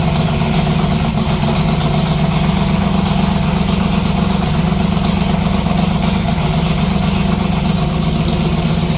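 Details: '57 delivery V8 idling late at night with new exhaust (Neighbor Hater mufflers): deep, loud, steady rumble, slightly lumpy beat around four pulses a second; loud exhaust at idle, still "spicy".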